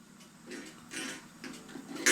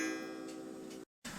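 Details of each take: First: 8-day Black Forest Regula cuckoo clock, cleaned and oiled after falling damage, gong hammer just bent up after it was not hitting; light ticking then one thin, harsh, short-ringing gong strike; hammer still misadjusted, sounding terrible, needs further adjusting. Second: 8-day Black Forest Regula cuckoo clock after cleaning and oiling, with the hammer bent up to hit the gong properly: a clear gong strike rings out and dies away cleanly over steady, light ticking. Strike is properly adjusted.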